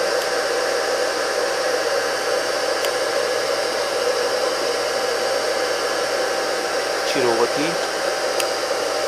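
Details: Rebuilt single-phase 2 HP (2CV) high-voltage motor running unloaded on the bench: smooth, constant whir at steady pitch, no rubbing, knocking or growl; healthy.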